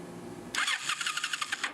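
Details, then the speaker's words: 2007 Ninja 250, dead battery charged, gas in tank: starter spins the engine in quick, even pulses for about a second with no firing. It cranks but won't start. "The battery was dead, so we gotta charge it. Motor turns over."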